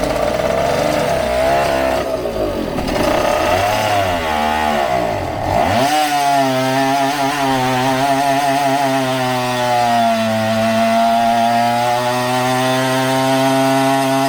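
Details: 1974 Indian ME100 two-stroke dirt bike being revived after purchase: crisp buzz rising and falling with throttle, then settling to a clean, even drone; healthy running.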